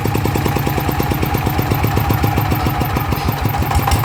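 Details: Engine after bearing replacement, idling with even, crisp popping at about seven beats per second and no rumble or grinding. Much quieter than before, when the worn bearing was making noise.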